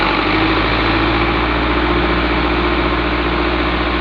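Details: Isuzu 4HG1 diesel engine running: steady diesel note with a faint ringing whir and uneven chatter on top; abnormal noise caused by a damaged idler pulley.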